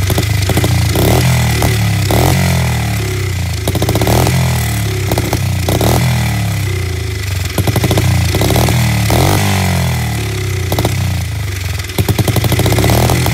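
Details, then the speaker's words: SSR 70 pit bike, unknown last run, started via Italian tune-up with starting fluid without carb cleaning: loud single revving hard and unevenly, stumbling, lumpy beat with sputters; runs and idles but rough, cause not pinned down. "This thing's running and idling. It doesn't sound great, but it's definitely alive."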